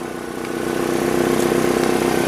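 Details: 2005 Nissan Altima 2.5L four-cylinder idling after valve cover swap and new spark plugs, coils and boots for oil-leak misfires; steady, even idle pulses and smooth hum, no skips or stumbles; firing cleanly on all cylinders.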